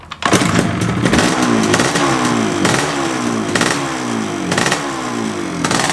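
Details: 1982 Yamaha RD350LC 350cc two-stroke, matching numbers, fresh extensive rebuild, new clocks reading 1 mile, started on choke with a little throttle: catches quickly, then crisp repeated throttle blips rising and falling cleanly, smooth crackly idle; normal healthy start and revving.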